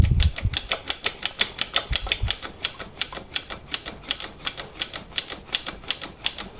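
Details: Bianchi Strada road bike during a tune-up, after lubing the brake pivots removed a squeak: crisp, even freewheel ticks at about three a second with no squeak, drivetrain running quiet; rear derailleur very worn.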